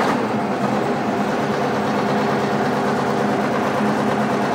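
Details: International Harvester TD20E bulldozer, 13.0 L DVT800 V8 diesel, first start, blade in neutral, idled down: smooth, even idle with steady low drone, no knocks or rattles; good oil pressure, healthy.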